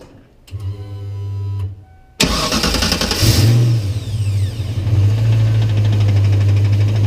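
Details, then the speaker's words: 1993 Ford Mustang Cobra after starter replacement, formerly squalling briefly at start-up from a starter suspected of sticking engaged: quick clean crank, immediate catch, steady low idle rumble with no squeal or grind; normal startup. "So that noise we were getting at startup was definitely the starter. And I think it sounds a heck of a lot better now when it starts up. Sounds really good."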